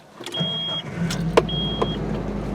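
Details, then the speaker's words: 2003 Nissan Frontier 2.4 L KA24DE with FS5W71-C transmission, 226,950 miles, after clutch and pressure plate replacement: steady low hum with light cabin clicks and a chime. There is no grinding after the dust cover plate was bent clear; it runs normally. "No more grinding."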